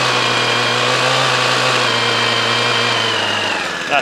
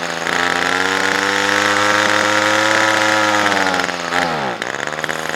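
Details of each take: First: Hedge trimmer stored in the shed over winter with two-stroke fuel in it: even, high two-stroke buzz held steady for several seconds before shutting off, no missing or surging; normal running after storage. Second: Titan strimmer, always hard to start, not run all year, on half choke warming with a bit of throttle: high buzzy two-stroke note holds then sags and drops away unevenly; hesitant after storage.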